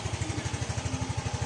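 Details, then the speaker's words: New Yamaha Mio i 125 scooter idling after its first CVT cleaning, with a new carbon pan cover and heat guard: smooth, even idle thump at about ten beats a second, no belt-drive rattle or scraping; quiet and healthy. "Linis panggilid, okay na rin, may cleaning na ulit, may tahimik na tahimik."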